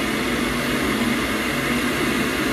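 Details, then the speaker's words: Boiler after repair, run at maximum where it previously shut off after a minute: smooth, constant fan rush and low steady hum without surging, fan pressure minus 6.7; normal boiler fan running. "You see, fan pressure, minus 6.7. Very good. That works."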